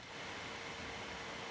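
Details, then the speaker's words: GMKtec K11 mini PC, Ryzen 9 8945HS, balanced mode running Grid Autosport benchmark at about 70°C and around 86 W from the wall; small cooling fan runs a little louder, a steady airy hiss with no rattle or tick, normal fan noise under load. "If we run the grid auto spot benchmark, we're around 70 degrees Celsius, and the system runs a little louder. Sounding a bit like this."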